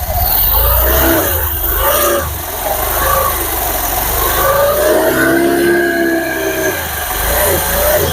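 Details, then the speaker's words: Honda Beat FI scooter after CVT service (rollers, belt, clutch housing cleaned), cover off: engine revs in smooth repeated swells with no slipping, rattle or grinding; normal CVT revving. "Oke ini sudah jalan inilah cara servis injsi big"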